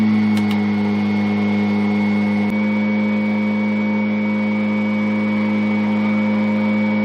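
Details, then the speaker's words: Kirby vacuum (Avalir 2) switched on and head lowered until the tone changes, then one click: steady even motor hum with one constant mid-pitched tone, no wobble or scraping; brush roll running normally. "so we'll turn it on and we'll lower it down and it's just one click after the tone changes"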